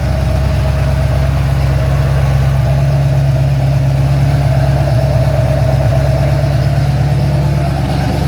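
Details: Ford XC GXL under restoration with a 351 V8, cold and warming up: a deep, steady V8 burble with an even beat and no knocks, ticks or misses. A normal idle.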